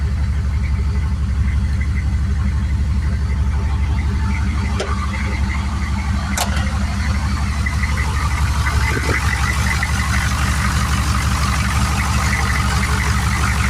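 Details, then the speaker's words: Turbo 6.2 diesel after adjusting inlet housing pressure, fitting a 195° thermostat and turning the injection pump up, with timing more right: quieter, cleaner, steady idle clatter with a deep drone, not poppy, no misses or extra knock. "She sounds a lot quieter, a lot cleaner. Idle's not as poppy because the timing's more right."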